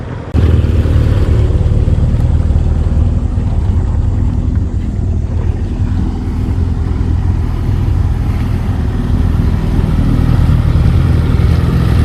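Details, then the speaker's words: Pontoon boat outboard on its first open-water test in years: steady low drone holding even revs, no knocks or misses; motor sounds healthy. "still sounds good man"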